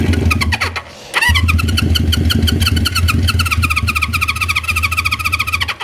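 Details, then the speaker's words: 1973 Honda CB350 Four with uncleaned, probably clogged carburetors: catches after a cough on a squirt of starting fluid, rattles unevenly for about four seconds, then fades and stops; runs only briefly on starting fluid. "I don't know about you guys but that sounds like it's running I mean it made a little bit of noise could be clogged up back there"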